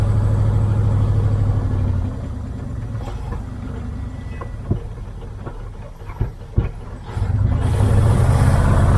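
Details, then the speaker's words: 1978 Dodge Aspen R/T, junkyard car revived after 34 years sitting: idles, sags to a weak stumbling run with sharp pops, then recovers; won't run consistently, slightly smoky; fuel and cooling systems still to be sorted. "okay there's a little smoky out still not bad uh i can't get it running consistent enough to really hear it if it's clearing out"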